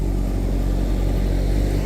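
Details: Old schoolhouse HVAC unit after resetting a VFD that had tripped on voltage and stopped both condenser fan motors, causing high-pressure switch trips. Even, continuous low rumble with no rubbing, squeal or surging: normal condenser fan operation after the repair.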